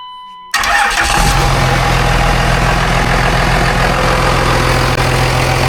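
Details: Cummins diesel swapped into a Volkswagen bus: starter catches within a second and the engine settles into a steady, even clatter at idle with no stumbling; normal start and healthy idle.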